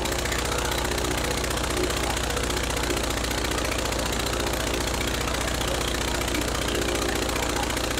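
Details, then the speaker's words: Praga B2 aero engine, last run 1 September 1939, rebuilt and test-mounted on a Vauxhall, with propeller: dense, steady roar at full throttle with a fast, even beat and lots of smoke, no stumbles or knocks; running healthy. "Look at all the smoke. That was full throttle."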